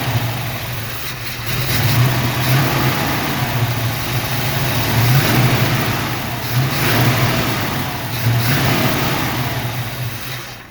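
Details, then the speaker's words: 1976 Chevy Nova with a 383 V8 on its first run in about 15 years: catches and revs in uneven surges, then the revs sag and it dies. Owner suspects it burned through all the fuel. "again we might have run through all burned through all the fuel"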